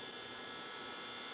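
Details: Thin, steady high-pitched whine from a Xerox Alto monitor under restoration on a test board, no picture shown, trying to sync at 60 Hz after rewiring the sync signal; filament glowing red.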